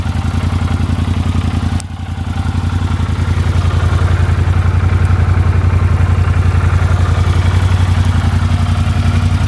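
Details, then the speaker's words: 1983 Honda CX500 Super Sport V-twin, ex-museum, after cleaned float bowls and digitally synced carbs; even steady idle with no knocks or misses, runs fine, no leaks. "The bike starts up, runs fine, no leaks or anything."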